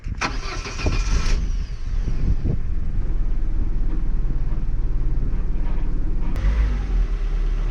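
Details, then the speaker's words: Opel Corsa B 1.4 X14SZ started after Multec single-point injection cleaning, new seals and hoses, with fuel primed by key turns; short crank, then steady even low idle, no misfire or knock; engine light previously on, now off; normal start. "Et là ça me paraît pas mal et surtout déjà j'ai pas de voyant moteur. Nous on avait un voyant moteur."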